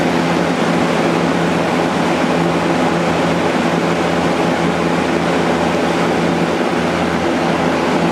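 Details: Vintage Kel Aire model 7000 box fan with a 3-speed Marco/McMillan motor, running on high after the motor was cleaned and oiled and the blade, grills and frame were washed. A steady, even rush of air with a low constant hum and no rattle or scrape; it runs smoothly.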